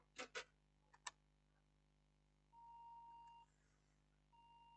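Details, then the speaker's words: HP Pavilion G6 laptop with no display, powered on with its 8 GB RAM module: long, steady mid-pitched beeps (three-beep code pointing to memory) after handling clicks, fan running at full speed, RAM getting very hot. "still have a bib you can hear the sound you can hear the sound still beeping and the fan is spinning at full speed"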